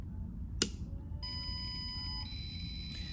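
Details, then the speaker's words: GermAwayUV 95-watt tabletop UV-C room sterilizer powered on while holding the stop and triangle buttons to pair its remote: a click, then a long two-second beep over a low hum as it enters programming mode ("P off"). "you'll hear a long beep and it'll say P off, as in program off."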